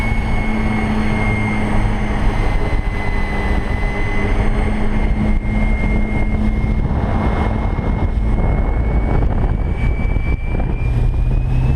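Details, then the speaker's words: Electric speedboat with 4-blade prop at about 45-46 km/h, 260 A, 4200 rpm: loud water and motor rush under a steady low drone with a thin tone rising with speed; resonance booming through the hull, owner suspects prop too close to the hull. "it's really kind of uncomfortable this prop is just too close to the hull and it's causing a lot of extra resonance"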